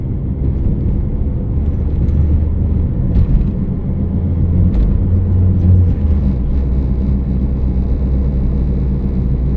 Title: Humming noise and cricket cricket noise